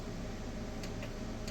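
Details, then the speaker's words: Solar LiFePO4 battery bank (12V 100Ah) with voltage meters being calibrated, nothing charging and only the charge controllers as load: a few sharp, irregular single clicks over a steady low hum; source of the clicking unclear. "I hear the clicking and I'm not sure why it's clicking because there isn't anything even on"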